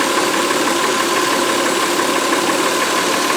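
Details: 2004 Honda Pilot 3.5 V6 with a flashing check-engine light and cylinder 4 misfire: uneven, buffeting idle stumbling about three times a second. Traced to an intermittent loose injector connector terminal, not the usual oil-fouled plug.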